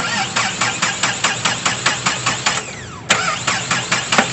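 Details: Mahindra Xylo D2 diesel, 2010: slow uneven cranking, roughly two beats a second, engine shaking badly, never fires; injectors were suspected and checked, but the cause was broken timing sensor wiring.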